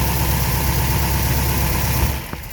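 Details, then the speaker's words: Studebaker Avanti supercharged engine after new accelerator pump and carburetor supercharger seal: steady, even low rumble at idle with no miss or knock; no fuel leak under boost, running healthy. "so i'm gonna hook up the battery and we'll fire it up and there we go no leaking out the supercharger just what we were looking for"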